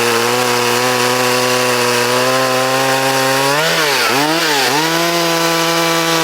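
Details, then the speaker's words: Vintage Poulan Wild Thing two-stroke chainsaw, completely stock with safety chain, unmodified muffler and air cleaner, freshly sharpened chain and tuned, in a timed log cut: a high steady buzz dips as the chain bites and recovers cleanly. It pulls strongly. "So what we're going to do is 4 timed cuts, and the saw is completely stock. It's got the safety chain on it."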